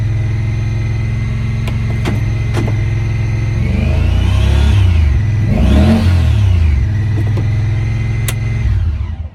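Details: 2017 Honda Pioneer 1000-5 at 1200 miles, code 9-2. Engine idles high with an uneven, lumpy beat and surges up and back down. Cause was factory over-crimped IACV plug wires broken inside the insulation; the plug was replaced and recrimped.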